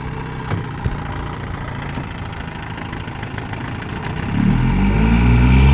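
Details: 1956 Johnson CD-13 5.5hp two-stroke outboard, apparently low hours, after new shock absorber, new water pump and tune-up, on the lake: settles into a steady, even putter that picks up smoothly near the end; runs clean and healthy.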